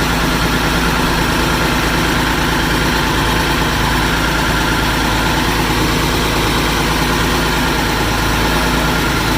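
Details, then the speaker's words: Massey Ferguson 550 diesel tractor, first start since 2019, after bleeding fuel to all five injectors and using a shot of ether at the air cleaner: even, deep idle with no misses, knocks or hunting; it runs healthy. "and then we're going to get in the cab and try to fire it up we're ready to go she's alive again"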